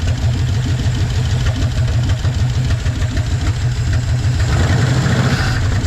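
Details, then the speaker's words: 1956 Chevy 150 with a 35-year-old V8, just revived, idle; light quick tapping over a steady rumble, valves need a little adjusting: valve lash out of adjustment. "We're going to have to adjust the valves a little bit. You can kind of hear that."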